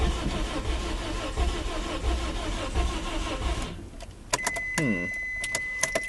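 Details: Engine with a badly blown head gasket after Steel Seal treatment, cold restart with a gallon of water in the radiator: several seconds of slow uneven cranking that never catches; radiator over-pressurizes and blows out water, Steel Seal failed.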